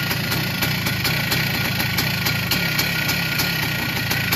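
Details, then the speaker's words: 1982 Yamaha YZ490 big-bore two-stroke single, started after fuel poured down the head: idles with a regular metallic rattle on every firing pulse; owner thinks the motor is worn, says they all rattle; unconfirmed. "Sounds like it's getting a bit old in the motor. Might just turn it off. Sounds like it's a bit rattly."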